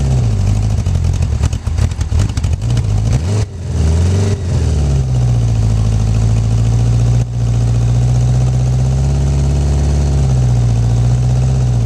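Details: 1984 Honda Goldwing 1200 with a 1985 Honda Prelude fuel pump in place of the stock one, primed, around 60°F. It cranks, catches, revs unevenly briefly, then settles to a smooth idle with no ticking or hiccups.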